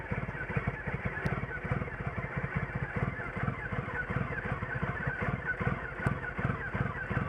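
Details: 2006 Triumph Rocket III Classic motorcycle idles with a low, lumpy, uneven beat, roughening until it stalls, then runs fine after restarting.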